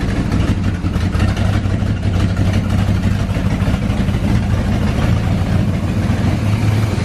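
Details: 1984 GMC Sierra C25, 454 big block, parked since 2003, after a new fuel pump and a swapped carburetor: deep, steady big-block rumble at an even idle with no knocks or stumbles; first run in almost 20 years, running smoothly.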